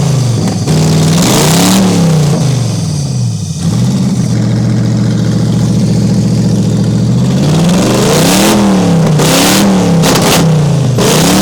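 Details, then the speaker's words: Toyota 1UZ-FE V8 race car engine, warmed up on first run in years after owner's own rewiring: even idle, then clean smooth rev blips with no misfire or rattle; normal warm-up idle and revving. "Oh my God, that was so deafening revving it. Yeah, Jesus Christ, that got like probably 5 times louder."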